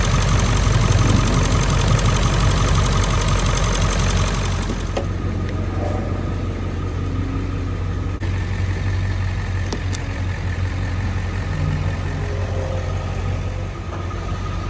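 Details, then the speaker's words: Owner's own Ford Excursion diesel, used as a reference beside a non-starting 7.3L F550: heavy diesel clatter that settles into a steady, even idle with no misses or knocks. A healthy start and idle. "also just take note of the way mine sounds when it starts you'll hear the difference"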